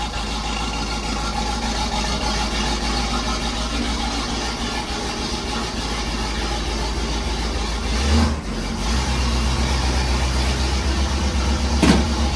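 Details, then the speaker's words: 1968 Firebird, cold after sitting all winter, fan-touching battery cable just moved: steady, slightly raised even low rumble on the choke's fast idle, no misses or knocks; normal cold fast idle. "I'd let it warm up for a minute and it'll come off the fast idle. But it works."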